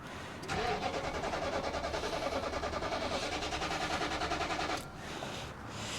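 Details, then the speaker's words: 2008 Nissan Titan on a cold morning around 30°F, crank no start with crank and cam sensors already replaced: about four seconds of steady cranking with no firing and no RPM signal. "Let's see if we get RPM. No. And we're not getting signal there."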